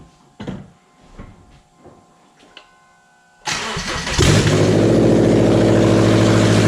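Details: 2009 Subaru Outback with the SOHC 2.5 engine at 109,202 miles, started after a timing belt, idler, tensioner and water pump kit, with no muffler fitted and no coolant; it catches quickly and settles into a loud, steady idle with no knocks.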